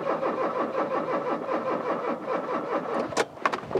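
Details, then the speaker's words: Rover 216/220 convertible after its leaking fuel line was replaced: the fuel pump buzzes and the starter cranks at a steady chug of about five beats a second for three seconds, but the engine never catches; it did run on easy start. "So I don't know why, but it's now gone from a car that ran but had a tiny little fuel leak to a car without a fuel leak, and I can hear the pump buzzing, to a car that won't start."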